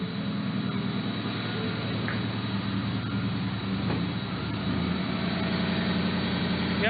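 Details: Factory Five XTF truck on a new tune: steady, even engine drone with a low rumble and no metallic buzz. The rattle that used to occur when pulling out is gone.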